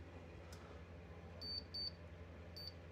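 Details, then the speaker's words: Desktop PC power supply at switch-on with a tester plugged in: a faint hum, then three short high beeps. The supply comes up alive, reading 11.7 V on the 12 V rail, 5.1 V and 3.3 V. "we have we have life. We have picture. We don't have a picture, but we do have some form of life."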